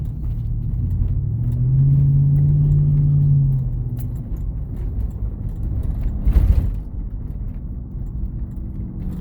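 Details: 2012 Chevrolet Tahoe 2WD driving: deep steady hum over road noise from the front driver's side hub bearing; wheel bearing hum, suspected.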